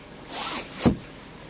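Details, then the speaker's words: Honda Accord 7th generation, 2.4 L 190 hp, whose engine knocks under throttle; short smooth sunroof motor hiss ending in a soft thud at its stop as it opens and closes; normal sunroof operation. "Люк все работает. Люк все работает, открывается, закрывается, все нормально."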